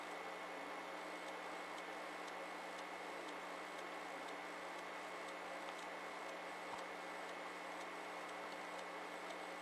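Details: SV2000 VHS/DVD recorder combo; the owner says every unit does the same thing. A steady electrical hum with a light, regular tick about twice a second comes from the mechanism. Strange mechanical noise, cause unknown.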